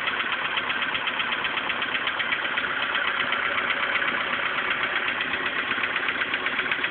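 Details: VW Polo Sedan engine at idle before piston group replacement: a sharp, regular tapping about four times a second over a steady idle; worn piston group knocking.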